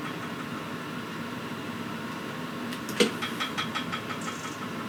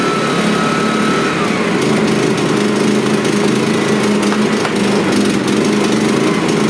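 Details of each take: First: Suitcase inverter generator after starter cord repair, engine switch left off, choke on, primed, fuel on: one sharp recoil pull with a short rattle of ticks dying away, no firing because the engine switch is off. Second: Suitcase generator after starter cord repair, choke on and primed: small engine catches and settles into a smooth, constant buzz with no stumbling or surging: normal running.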